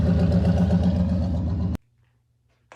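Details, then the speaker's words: Old lowrider that has rarely been driven lately but always fires right up: deep, even burble with steady pulses running smoothly, then a clean shutdown. Normal running. "This old girl always fires right up though. I love this old piece of shit. No matter what, she always sounds good."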